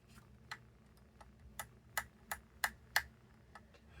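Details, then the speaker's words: Xbox Series controller trigger after teardown and removal of the aged rubber padding, cover off so louder: crisp clicks about once a second, each snapping back cleanly with no drag; the trigger is less padded but doesn't stick. "I mean, now that's less padded than it was before, but there's no sticking whatsoever."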